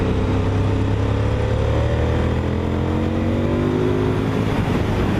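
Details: Honda VTR1000 SP1 V-twin ridden on the road, accelerating through the gearbox: a deep, throbbing twin-cylinder note climbs smoothly with the revs under load, with no knocks or rattles; the engine is pulling healthily.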